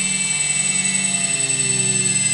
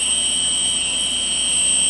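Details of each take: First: Quadcopter with MultiWii flight controller, armed and throttled up: several high motor whines hold steady while one slides down in pitch and fades. The left-front and right-rear motors lose speed and stop; owner suspects FC settings or sensor. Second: Quadcopter with MultiWii flight controller, ESCs programmed, armed at full throttle: steady high motor whine, all four motors run evenly with no slowing; at lower throttle some motors stop, flight controller issue suspected.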